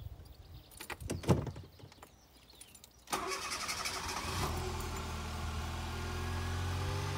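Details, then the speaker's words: 2000 Fiat Panda Young (141), hot start in very hot weather after a rebuild with new rings, valve seals, oil pump, and timing chain and tensioner: short crank, then it catches into a quiet, steady idle with no ticking. Remarkably silent and healthy. "come sentite praticamente nessun rumore tutta un'altra cosa ma è proprio un'altra cosa io un motore di panda così silenzioso non l'ho mai sentito"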